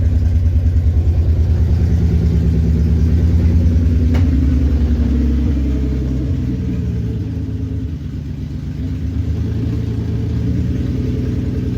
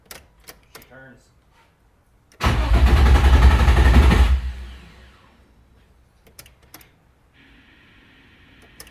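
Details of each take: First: Nissan 350Z, revived after two years sitting, following days of troubleshooting including wiring and a ground strap fix: steady, even low idle with a slight settle after a light rev, good oil pressure, sounds healthy. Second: Nissan 350Z first start after sitting dead over two years, with a newly installed engine and transmission and no fuel pump heard: the starter cranks evenly at about four compression beats a second but it never catches. Cause unconfirmed.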